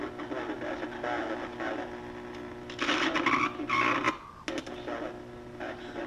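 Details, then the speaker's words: Emerson R167 tube radio, circa 1937–38, not recapped, signal tracer at the type 41 tube plate: hissy, crackly output with thin high whistles drifting in pitch. Serious birdies; the cause is unclear, tubes still to recheck. "got some serious birdies you can tail but okay guys sorry about that i know the audio is crazy louder it is in my ears anyway but i think it proves the point the radio got a lot of trouble"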